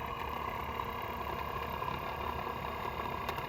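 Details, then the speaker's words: 1981–1985 Mercedes diesel cruise control actuator on the bench: motor runs with a coarse, gritty whir; rough, worn actuator motor. "Okay, listen to this motor. And if you touch it, it's vibrating. It has kind of a crunchy sound."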